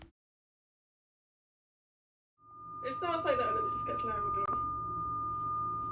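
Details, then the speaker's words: Ideal Logic gas boiler under 4 years old, intermittent whistling complaint: about two seconds after firing a steady high whistle holds over the burner roar, no pulsing; gas or air flow whistle suspected, venturi and injector looked clean. "the fault's a noisy boiler makes a whistling noise intermittently let's see how it goes"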